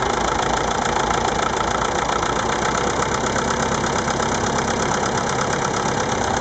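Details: Massey Ferguson MF-825 tractor diesel idling steadily with loose uneven knocking; abnormal engine noise, cause not identified.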